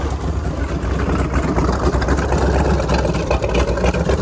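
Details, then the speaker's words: Sleek Craft jet boat with a 454, first cold start after sitting for years and carburettor work: rough, uneven low idle with a loose mechanical rattle underneath; noise located in the bell housing, cause undiagnosed. "The biggest problem right now is in the bell housing there."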